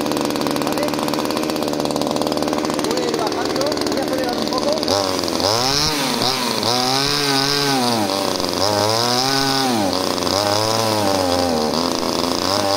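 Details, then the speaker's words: Subscriber's pruning chainsaw after lowering the idle screw and adjusting the low-speed screw: even two-stroke idle, then quick throttle blips climbing cleanly and dropping back without bogging; idles and revs properly, not yet tested under load. "Bueno ahora la máquina ralentiza bien levanta bien las vueltas"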